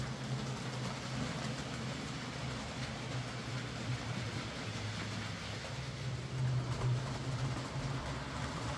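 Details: Hornby J15 model loco, bought new about two years ago, always slow and noisy; after motor swap and regreased worm gear, low even motor hum, steady track rumble, no whine or catching: now quieter and smoother, normal running.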